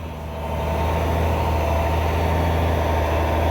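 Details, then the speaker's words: Loaded log truck with a new remanufactured Cummins N14 diesel pulling away, recorded on a phone: a deep, steady drone building under load with no knocks or misses; the engine is healthy under load. "Oh, Stevey is tight. There you go, Stevey, that'll get her. Putting that new motor through his paces."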